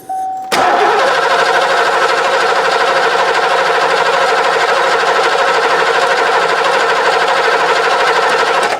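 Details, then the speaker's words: 1990 Ford Mustang GT 5.0 V8, manual, UK barn find laid up 30 years, first start attempt. Fast starter whirr about eight seconds, engine spins freely but never fires; fuel reaches the rail, cause unconfirmed. "Nope. Let's just see if it's it's fuel's coming out of here. Let's just check that."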